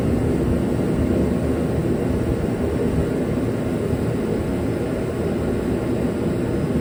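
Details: Dynaglo Pro 75,000 BTU kerosene torpedo heater RMC-KFA75TDGP, which had sputtered and would not stay lit, running after its cracked fuel and air lines were replaced: a steady, even roar with a low rumble, no sputter or surging, and it stays lit.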